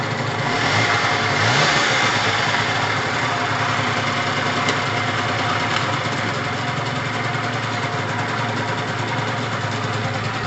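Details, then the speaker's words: Gilera DNA 50cc two-stroke, cold start with triple the normal oil mixed in: catches quickly with a short rev, then settles into an even, steady idle with no misfire or knock. "nice that's always a good start remember it's got triple the amount of oil in at the moment to loosen it all up"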